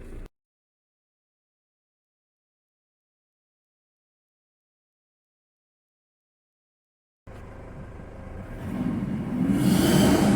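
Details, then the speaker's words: 2007 Toyota Hilux 2KD diesel, recently given new timing belt, tensioners and alternator belt, revving: high airy whistle rises at higher revs, traced to an exhaust leak at a gasket; normal turbo whistle remained after the fix. "se escuchaba el silbido normal del turó así que al parecer el soplido decir que estamos escuchando sale de la junta que acabamos de re"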